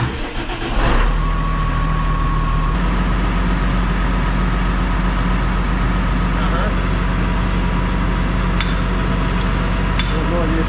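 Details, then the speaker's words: Massey Ferguson 6480 tractor diesel, sat idle for 2 years after its injector pump fell off, running again after the injector pump was refitted: a brief crank, then a steady, even low rumble with no knocks or misses. Normal running. "here and now the 6480 is back in Action so Lee has played a Blinder for us"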